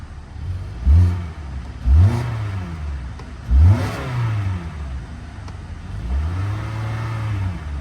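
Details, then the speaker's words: Auction vehicle with 149,000 miles, not yet warm (temperature still low): three quick blips and a longer rev, rising and falling cleanly with no knock or rattle. The engine sounds smooth and healthy. "engine sounds good very smooth it sounds good"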